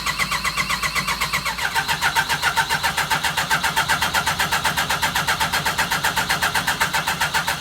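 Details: Yamaha RS Viking snowmobile after a carb clean, warmed up indoors: it catches within two seconds, then holds a crisp, even pulsing tick-over of about four beats a second. This is a normal start and idle, with no rough running after the summer.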